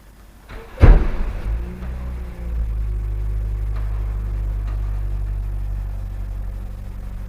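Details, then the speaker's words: 2013 Toyota Vios Limo Gen 3 ex-taxi just collected from the pool, first start: brief crank, clean catch, deep steady idle without misses or knocks, engine runs normally. "udah nyala ya teman-teman alhamdulillah mati normal"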